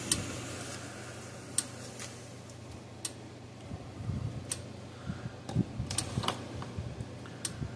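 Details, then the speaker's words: Parmak Solar Pak 12 solar fence charger run from a bench power supply set to about 13 volts: sharp single clicks about every 1.5 seconds over a faint hum, gauge in the green; charger pulses normally, needs new batteries. "all right now I'm going to turn this switch on yep gaug is moving see if it goes a clicking hear that it's"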